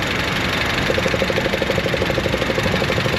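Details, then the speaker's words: Aftermarket EVAP purge valve commanded at 15% duty cycle: steady fast ticking, about three clicks a second, over smooth idle; purge valve cycling and leaking vacuum. "Hear that? That's the purge valve cycling."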